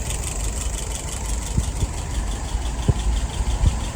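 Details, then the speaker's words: Restored WO 539S carburetor after testing and adjustment: slow low idle around 630 rpm, steady rumble with a few light clicks, float set correctly, runs smoothly. "Currently idling at about 630. Let's increase that. About 640."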